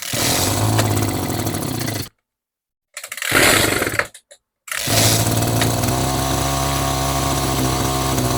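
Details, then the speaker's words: Echo GT-2200i string trimmer after turning mixture screw out several half turns: steady high-pitched buzz, brief dropout, then holds even run; now runs after not starting, needs more carb tweaking. "I would definitely call this a win 100% I mean we went from it not starting"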